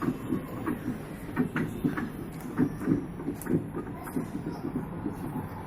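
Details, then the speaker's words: LG Inverter Direct Drive 10.5 kg washing machine, empty drum, spin cycle selected: repeated knocking thumps two or three a second with each drum turn while it gains speed; customer complaint of spin noise, gearbox suspected. "LG inverter direct drive 10.5 kg। Customer को हमें स्पिन की आवाज़ आ रहा है।"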